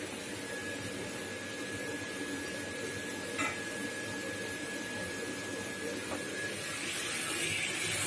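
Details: Duval gas water heater, water turned on so the diaphragm opens the gas valve: steady soft roaring hiss with a faint constant whistle, no popping or sputter; burner lights and runs normally.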